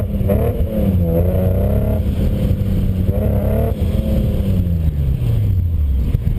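Uneven, stumbling engine note through the revs, with the pitch wavering and choppy low pulses instead of a smooth run, pointing to a misfire.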